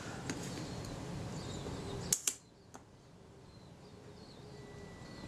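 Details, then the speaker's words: Kodak Retina IIIS camera shutter during servicing, set to 1/8 second and cocked: two crisp clicks about an eighth of a second apart, open then close, in a quiet room; timing sounds reasonable, to be confirmed on a shutter tester. "we can check the speeds of the shutter so I'll just it by pulling this back set this to an eighth of a second which I happen to know is there and see what sort of result I get"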